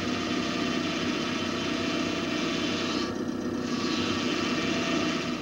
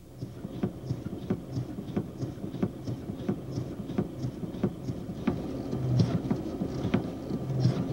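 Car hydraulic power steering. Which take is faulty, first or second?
first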